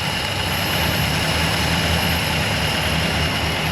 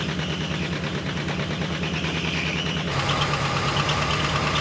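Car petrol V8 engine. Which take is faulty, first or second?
second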